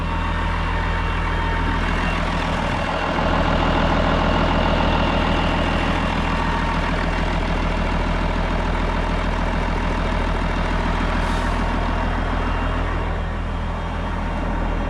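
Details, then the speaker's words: Road grader's rebuilt 8.3 Cummins diesel idling heavy and low with a steady, slightly uneven throb. Long crank to start, improving with run time after Seafoam fuel treatment, earlier knocking gone. Owner suspects the injection pump advance is hanging up. "I think the advance and everything's hanging up in the pump. I really do."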